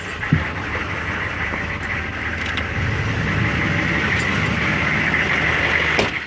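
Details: 1999 Chevy 6.5 diesel truck at idle with a bad fuel injection pump, owner noting an odd link to the AC electrical circuit or engine load: uneven, lumpy loping idle with no steady rhythm; fixed by replacing the pump.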